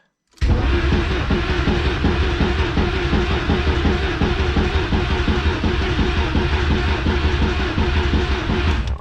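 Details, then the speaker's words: VW Golf 3 with a 1.8T swap, first start attempt: the fuel pump is heard priming, then steady rhythmic cranking for about eight seconds without catching while fuel rail pressure builds. "i hear the fuel pump kick on which is awesome it'll probably take us a couple cranks get some fuel pressure to the rail and then uh hopefully after that it should just be on"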